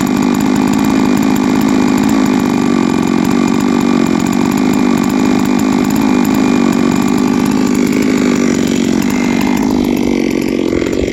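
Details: Huztl-based MS660 (066 platform) custom mill saw, 3 years old, ported 56mm cylinder, after an in-field full clutch replacement: steady, high, even buzz at full throttle under load without surging or bogging; running strong and healthy.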